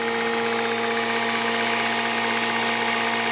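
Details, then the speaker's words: Jet motorcycle cooling system running; a constant whine at one pitch with no surging, grinding or rattle, pump working normally, yet the temperature still reached 105° as the heat exchanger cannot fully cope. "Our cooler is working now. You can hear him ."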